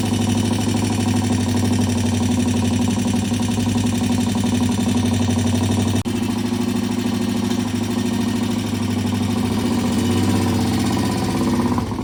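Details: Vintage British T20M 200cc single-cylinder four-stroke race bike, test ride after cold starts and repairs: even, crisp thump at a steady fast idle with no misses or knocks; it runs fine.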